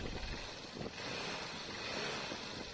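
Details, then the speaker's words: Hero Xtreme Sports bike engine idling evenly after timing chain replacement; no chain rattle now, previously rattled loudly from a worn timing chain; normal idle after repair. "अब हमें इसे शुरू करके जांचना होगा। यह सही है। कोई शोर नहीं। पहले यह बहुत शोर कर रहा था।"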